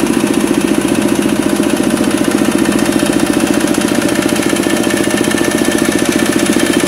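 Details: Kubota RD65DIS single-cylinder diesel loaded by a soil/clay grinder after cylinder head reinstall with timing checked: combustion good and smoke gone, steady beat about three per second with a faint rough clatter from worn engine gears.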